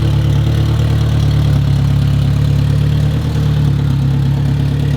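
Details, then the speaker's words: Fresh self-built, blueprinted Honda engine built for 1000 hp, first start after nearly a year's build: deep, even, smooth idle, no misses or knocks, good oil pressure, cranks right over; earlier it wasn't firing on cylinder 1. Normal idle. "hing fired up and ran so so smoothly this is my first time also ever building and Blueprinting an engine by myself and I mean so far oil pressure is awesome it sounds healthy as could be and it cranks right over"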